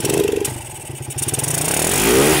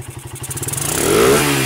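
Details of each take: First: Suzuki Satria, battery connected, engine throttled fully: blips cleanly to high revs and falls back twice with no misfire or stumble. Removing the battery stops it revving. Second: Suzuki Satria motorcycle on a test of whether it revs with the battery connected or removed: firing pulses quicken smoothly into a clean, even rev with no misses or stumbles, and the engine pulls up freely; normal revving.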